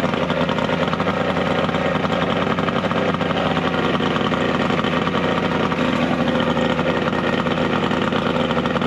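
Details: 70HP two-stroke Mercury outboard on a 1967 Duo boat, running on water hose ears with battery, not hot: smooth, even two-stroke drone, steady speed, no knocks or misses; hard starting but runs very well once running.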